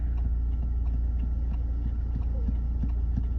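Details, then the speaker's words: Vauxhall Corsa C 1.2 petrol rolling slowly off the throttle: low, rhythmic scraping about three or four times a second following wheel speed; sticking, dragging brakes after wheel hub repair. "So that's that noise is the brakes, which I know it was the sort of grinding when you uh take your foot off the brake."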